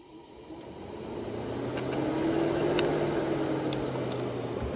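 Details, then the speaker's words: Volvo S60 with an overheating complaint. With the fan harness unplugged and the motor powered directly by a test tool, a steady electric whir holds an even hum: the fan motor is good, and the fault is a broken wire at the fan relay. "The cooling fan's on, as you can see. So we know the fan motor is good."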